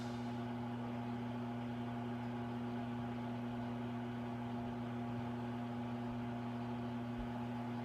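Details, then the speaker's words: Lasko CC24910 Cyclonic digital ceramic heater running normally: steady hum around 119 Hz, with a soft fan tone about two octaves higher and occasional relay clicks. "The hum is almost a B for all you musicians out there, which wouldn't be so bad if the fan wasn't producing a soft dissonant A 2 octaves higher. It's pretty common for fans."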